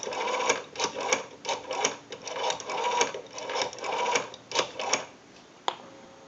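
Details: 554 rotary dial wall telephone after repair and conversion, dialing a time-and-temperature number; quick, even click bursts as each digit returns, cleanly spaced with no drag or skipping, normal pulsing.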